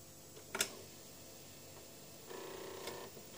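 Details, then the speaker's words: Commodore 1541 disk drive on a Commodore 64 after a mod to reduce read-head bump noise; one soft click then a brief quiet whir at switch-on, normal power-on head seek. "it's a commoner 64. switch it on yep and this is the noise now it makes with the mod done so"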